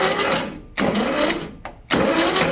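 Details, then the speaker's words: VW Type 3 Squareback engine, damaged and being revived, with no distributor installed: cranks on starter in rough bursts with no firing, turning freely and puffing; just cranking over. "We'll have to hear it because I don't even have the distributor in it yet, but we're going to run it and see what we get and hope for the best."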